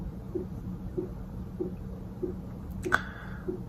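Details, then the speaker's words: Diesel air heater in a bus conversion: a light, sharp tick about every 0.6 s over a quiet hum. The fuel dosing pump was mounted without its rubber mounting piece, which didn't seem to fit the pump. "One, it's annoying. Two, I could have done something about it. I didn't feel like the directions were very clear, and I probably could have watched other people's videos about it, but turns out there was this rubber mounting piece for it, but it didn't seem to fit on the pump."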